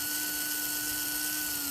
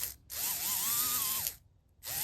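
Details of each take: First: HO scale brass Union Pacific FEF-3 4-8-4 #840 model locomotive powered via the tender lead touched to the base: steady, high, thin whine at even pitch with no stutter. Motor running smoothly. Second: HO scale brass Union Pacific FEF-3 4-8-4 #840 model locomotive held by hand on plastic: electric motor whines, surging and sagging, cutting out between bursts as if binding or losing contact; owner thinks it needs cleaning, especially the wheels.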